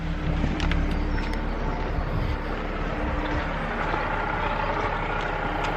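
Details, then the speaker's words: Audi S4 (stated as V8, supercharged) idling with the bonnet up: a steady, loud whine over the engine, mostly from the belt and supercharger pulley and still audible about 10 steps away. The owner blames the supercharger pulley; the cause is not confirmed. "as you can hear the majority of the noise is coming from the belt here as we move further away from the car you can see that this thing is very noisy"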